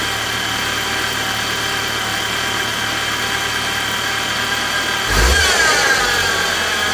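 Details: 2016 BMW X3 xDrive28i N20 petrol engine at idle: steady high whine that climbs in pitch with a quick rev, diagnosed as a bad pulley bearing.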